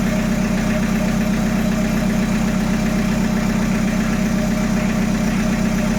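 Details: Peugeot 806 1.9 TD diesel, start test after engine rebuild: steady, even clatter at idle with no knocks or misses; normal idle.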